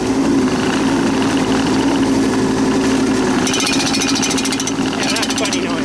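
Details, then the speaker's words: Tracked machine in high gear travelling about 2.1 km/h: over a steady diesel drone, rapid clanks about four a second, loudest as it moves; owner suspects the metal guides inside the track hitting the bottom wheels, not confirmed. "It's like a clanking noise. And I think I know what it is. There's uh metal things on the inside of the track that runs on the wheels on the bottom. And I think it's those clanking clanking on that."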